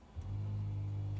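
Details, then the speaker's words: Mercedes-Benz SL convertible top switch operated while the trunk lid is stuck open: low steady electric hum of the hydraulic top pump, even pitch, no straining or grinding; pump not the cause; normal pump operation. "if you operate the switch to control the top you can hear the pump Run"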